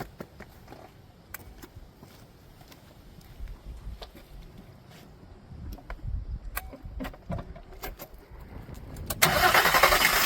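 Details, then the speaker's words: Vehicle jump-started with a Green Keeper GK-J1203 jump starter: scattered clicks and handling, then the engine cranks briefly and catches into a strong, steady run; started without a problem, clean start. "As you can see, it started up without a problem. This thing is great."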